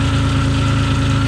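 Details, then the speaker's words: Dodge Stealth, first run after reinstalling a repaired ECU for a no-start/poor-running problem: steady idle with a faint whirring hum from the front of the engine; owner suspects worn bearings, possibly a lifter; bearing noise. "I can hear noise out of the front of the engine over here I I do realize that some of these bearings are"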